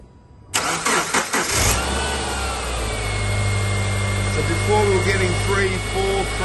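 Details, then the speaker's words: 2008 Subaru Outback 2.5 petrol with a long-crank hard-start fault, after a new genuine Subaru coil fitted following a scope diagnosis: fires within two cranks and settles into a steady even idle; problem solved. "you PR sow fire and then Bang have just hit within two pranks bang we got it going so yeah problem solved"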